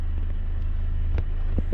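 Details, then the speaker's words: EF Honda Civic sedan after re-timing: steady, even idle with no hesitation, misses or knocks, air-fuel ratio back at 14.7 and no fuel smell. "decent idle not smelling a gas which is good and i'm back up to 14 7."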